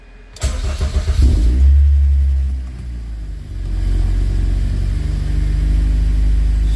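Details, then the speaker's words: Rebuilt Honda K24 in a CRX: it fires, revs briefly, then settles into a smooth idle that is a little high, with no knocks; the earlier noise is gone and the cooling fan is running. "the engine's running great it's never ran as good it sounds great yeah the RPMs are a little high right now but it's running fantastic not a single noise the engine sounds great"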